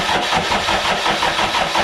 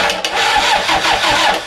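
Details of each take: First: Toyota 1KZ diesel being fitted to a YN65 Hilux, rebuilt starter with new brushes: slow, even cranking about three pulses a second for nine seconds, never firing; cranks, no start. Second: Toyota Hilux YN65 with 1KZ diesel conversion, testing a rebuilt starter motor with new brushes before diesel is fed to the injector pump. Brisk, strong, even cranking with no dragging, much better than before. Normal starter cranking.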